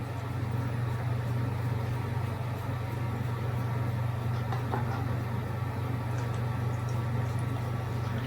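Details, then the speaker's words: Power Mac G4 Sawtooth in a B&W G3 case at first power-up: constant low, level droning buzz; one of the cooling fans buzzing, cause unconfirmed. "it sounds like one of the fans are buzzing I have to look at that"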